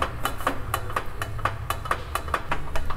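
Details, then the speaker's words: Volvo XC90 driveshaft rocked by hand, underside hot: sharp metallic clicks about four per second; the noises come from the transfer case (angle drive) and the front driveshaft joint is worn. "Да, это в угловой передаче звуки, и вот этот звук издает передний шарнир."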